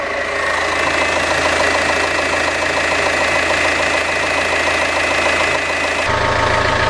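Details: Citroen C5 after rear nearside hydractive suspension ram replacement and LDS fluid refill: steady engine idle with even pump whir as the pump primes, self-bleeds and lifts the car; no knocks or hiss, no leaks.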